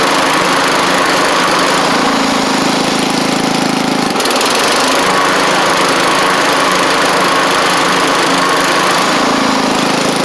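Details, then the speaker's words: John Deere LX176 riding mower after a new transmission belt and pulley fixed a no-drive fault, driven before deck reinstall: loud, even single-cylinder beat with small load shifts and no slipping or squeal; normal running. "Alright, before I get the deck on, I'll show you it drives like it's supposed to."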